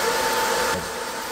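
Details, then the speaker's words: 20 W diode laser engraver module, top cooling fan, phone a pencil-length away, after fitting three laser-cut 3 mm spacers: steady, smooth fan hum with the harsh high-pitched whine gone; fan runs quietly and evenly. "now I hope you can hear that harshness that high pitch noise has disappeared"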